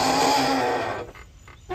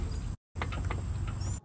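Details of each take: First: 2008 Yamaha YDRE (G29) electric golf cart with internal transaxle brakes, also failing to hold on hills with parking brake: loud wavering groan with low and higher tones fading as it brakes to a stop. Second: 2008 Yamaha YDRE G29 electric golf cart after transaxle brake repair and relubrication, driven a few minutes: low rolling rumble and faint high electric tone while stopping, no squeal or grinding; brake noise fixed.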